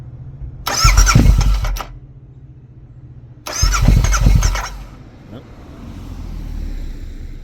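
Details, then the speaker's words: Motorcycle in neutral after snowstorms and cold in North Carolina, won't start: two short one-second cranking bursts, engine spins but never fires; battery, fuses and spark plugs to be checked, cause unconfirmed. "All right, folks. So this bike is uh not starting."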